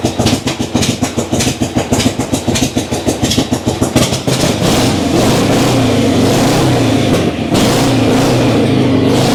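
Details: Old kick-start V-twin cold start, idle knob not turned up so it took several kicks: about four seconds of sputtering, uneven firing at roughly three a second, then catches and runs steady and even; normal cold start.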